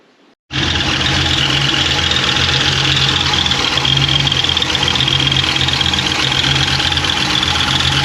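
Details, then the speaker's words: V8 at idle with rockers checked smooth and oil pressure good: fast light ticking about four a second from the top end; owner suspects a lifter closing. "so oil pressure and everything is good but that noise is making it bother me i think it might be a lifter closing"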